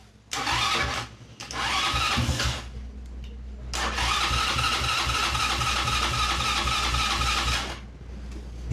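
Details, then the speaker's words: Kazuma Falcon 150cc quad, about 10 years old, first start, fuel leaking. It catches into a quick, steady high idle with a brief dip. Idle is set very high on the screwdriver and the mixture needs adjusting; the automatic choke is suspected. "Still idling very high on my screwdriver. [snorts] Doesn't sound too bad."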